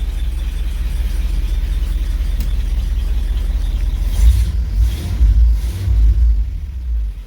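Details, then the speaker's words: 1964 Cadillac DeVille convertible V8 at idle after correcting wiring for Pertronix electronic ignition (resistor wire had been left connected): much quieter and no surging but still running rough; a possible ticker, and a suspected exhaust leak on one side. "So much quieter, no surging, but still not good. Seems like she might have a ticker, but I think she does have an exhaust leak, and I think it's on this side."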